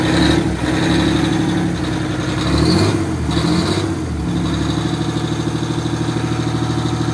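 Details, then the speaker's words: 1989 Grand Villa with two-stroke Detroit diesel, just started, one battery dead, starting to charge: blips up and settles to steady even idle, clean rhythmic beat, no knocks; not loud inside; normal running. "that thing sounds good I think it's really not that loud in here with it running"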